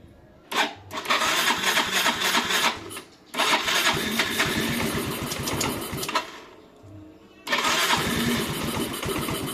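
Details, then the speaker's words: Yamaha Mio M3 125 scooter that previously would not hold idle, stalling or hunting, tested on initial settings with the engine breather hose refitted; it fires up and settles into a steady normal idle with no stalling. "kelihatannya ini bisa langsam dengan normal nanti kita lihat di scannya"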